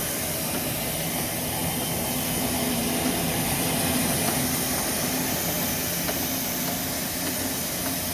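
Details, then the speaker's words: Bryan steam tractor burner while warming up and building steam pressure toward about 200 psi: a steady roaring hiss with a faint high whistle on top, even and unchanging, which is normal burner operation. "You can hear that burner whistling pretty good."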